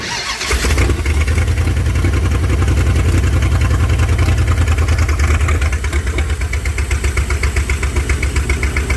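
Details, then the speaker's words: Mopar with an ECU no-spark problem, carburetor filled with gas through the vent tube: cranks briefly, catches, then runs with a lumpy, uneven beat instead of a steady idle; owner suspects it isn't getting fuel. "all right so it started it's not running the base but I wonder if I'm not getting fuel"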